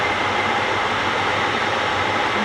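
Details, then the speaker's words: Second overhauled A-type overdrive on a test run in neutral, operated manually with no solenoid fitted: a steady, even whirr with light hiss and no knocks or grinding; pressure was slow to build, then kept rising and stopped at a good 350. "Started going. I got scared for a moment it's not gonna build up pressure, but started going and it doesn't stop."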